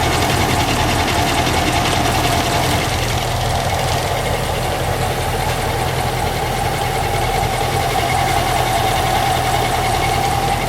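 Engine holds a steady idle with a constant thin whine over a rough rattly undertone; something is off, source not pinned down.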